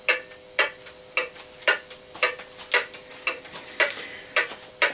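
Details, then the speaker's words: Antique cuckoo clock out of beat, not from tilt but from worn bushings and bent escape wheel teeth, before repair: tick and tock at slightly uneven gaps about every half second. "can you hear that that's the sound of a clock that's out of beat and not because it's tilted one way or the other but because there's another problem"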